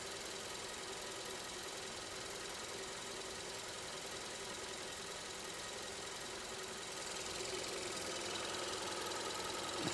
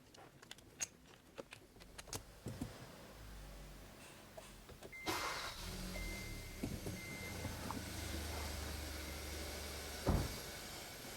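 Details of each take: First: 2015 Kia K3 1.6 GDI at about 60,000 km, knocking when climbing hills, heard in the shop as a steady fast rattle over the idle. Cause: heavy combustion-chamber carbon and weak ignition on cylinder 2. Fixed by chamber and intake-valve cleaning plus coil and plug replacement. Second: 2015 Kia K3 1.6 GDI, 60,000 km, after combustion chamber and intake valve carbon cleaning plus new ignition coils and spark plugs: clicks, then engine catches and settles into a smooth quiet idle; hammering knock from ignition faults and carbon gone.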